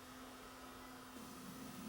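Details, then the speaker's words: Sony CCD-TRV715 Hi8 camcorder after a film of debris polished off the head drum. It plays a tape with a quiet, steady hum and even whir, no clicks or scraping. Normal tape playback. "the unit starts playing in perfect condition so now let's reassemble put this one back together"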